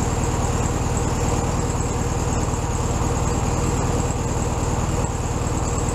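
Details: 1967 VW Beetle 1500cc air-cooled flat-four, warmed up after carb reinstalled on new base gasket: even, regular thrum at a slightly high idle, no stumbles or hissing; normal idle.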